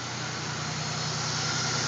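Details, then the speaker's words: 2000 Pontiac Grand Prix after an engine noise repair, rear valve cover just refitted, front valves not yet checked: low, steady idle hum with no ticks or knocks, even rhythm; normal idle. "listen to that oh yes it's sounding good all right all right i feel a lot better now"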